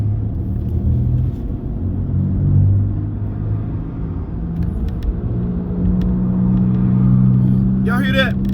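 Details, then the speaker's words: Whirring hum under road noise while driving that gets louder with road speed and does not change with engine rpm. Next step is isolating the drivetrain from the engine; a bearing is possible but unconfirmed. Speed-dependent whirring. "now yeah it's getting louder so it's dependent on like if i step on the gas the noise don't change based off the engine rpm revolution it changed based off speed so the faster i go the louder the noise"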